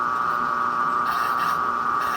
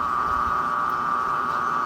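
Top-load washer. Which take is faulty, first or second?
first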